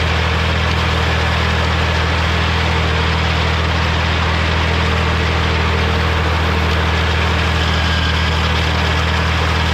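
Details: Morra F25-6 disc mower on tractor, test run after repair: steady even drone driving the discs, no knocking or clatter; cutter bar running normally, occasional slight touching possibly the shield.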